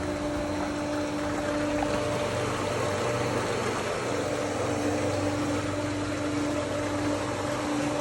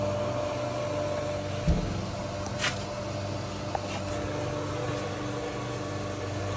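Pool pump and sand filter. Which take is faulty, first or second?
second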